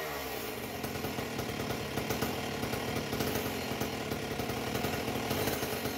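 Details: A Husqvarna 268XP chainsaw fitted with a homemade expansion pipe, run without a bar before tuning; a high-revving, blubbery, four-stroking burble with uneven crackle instead of a clean scream. It is running very rich.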